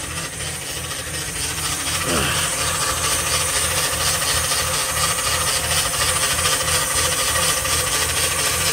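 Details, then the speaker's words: 2000 Lincoln LS, warm (not a cold start), idling with the phone underneath near the converter: steady mid-pitched whine over a hissy idle, not from the power steering pump and very loud underneath; transmission whine, cause unconfirmed. "Now when I get underneath it with the phone, you'll hear it, and I don't know exactly how loud it's going to be on the camera, but it's pretty scary loud when you get underneath it."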